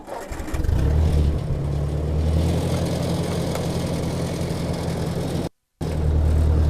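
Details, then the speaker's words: Ford Workmaster 641 tractor petrol engine after a tune-up (rebuilt carb, timing, points, condenser, plugs, cap, sediment bowl). Climbing a hill in second gear under load with a BigToolRack on the 3-point hitch: low steady throb, no surging. "Already can tell way better. No surging climbing. Just a nice steady purr."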